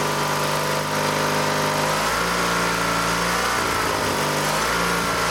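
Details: Dynamark lawn tractor's 16 hp engine after new fuel lines, air cleaner off, governor spring adjusted toward the rated 3600 rpm: catches and settles into a steady, even drone at consistent speed with no misses or knocks.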